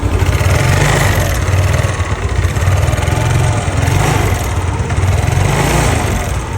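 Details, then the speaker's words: Yamaha Nouvo Z with standard carburetor, before restoration and bore-up: steady low idle with a quick metallic tick and loose rattle, the engine noise described as ngericik; internal wear suspected, engine to be opened. "yang di mana motornya ini mesinnya suaranya ngericik dan mau dibard up juga"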